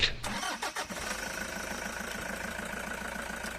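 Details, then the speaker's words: Toyota Hi-Ace cold morning start after replacing the drive belt: engine cranks briefly, catches and settles into a steady idle with no chirp or squeal; belt noise gone, normal. "Wala na ung kuliglig dito sa makina mga boss"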